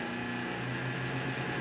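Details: Intel Foxconn CPU fan on a 1975 bench DC supply near its nominal 12 volts: steady airy whoosh with faint motor hum, running normally.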